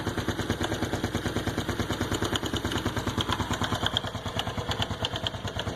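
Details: Honda Biz 110i at 6,000 km, cold start after an oil change where the wrong bolt (cam chain tensioner side) was loosened: sharp, regular tapping about three per second over the cold idle, which stops once warm. The owner suspects 20W-50 oil instead of the specified 10W-30.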